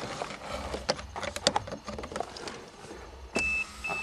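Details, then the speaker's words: 1982 Toyota Cressida, electric fuel pump after wires reconnected, priming and purging air from the system; after some clicks a thin steady high whine comes on, stops, then returns; normal fuel pump operation. "she's priming I hear the air purging out of the system"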